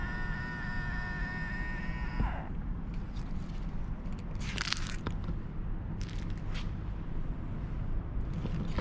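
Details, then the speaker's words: BMW power-folding side mirror after service-centre lubrication for a plastic-rubbing screech when folding: short smooth motor hum of about two seconds, stopping cleanly with no screech or scraping; mirror now folds quietly. "looks it sounds pretty quiet now but let's hope the lubricant will last"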